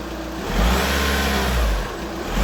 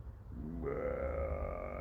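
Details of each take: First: VW Scirocco 2.0 TDI diesel, first startup after water pump and timing belt kit replacement: two clean revs rising and falling smoothly, then a steady, even idle with no knock or rattle; running properly. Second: VW Scirocco 2.0 TDI just after water pump and timing belt replacement and refill: hollow gurgling burble settling into a wavering tone; owner assumes air in the coolant needs to breathe out, bleeding still to do.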